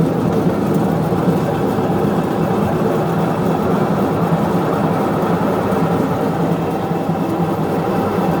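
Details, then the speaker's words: Westinghouse washing machine, repaired several times in six months, during the spin cycle. It makes a loud, steady, jet-like roar that gets worse with speed, leaks water underneath and doesn't brake. A worn transmission is suspected, and the basket turns both ways. "Ahí bota el agua. ¿Sí ven cómo suena horrible? Y aparte dan el charco de agua."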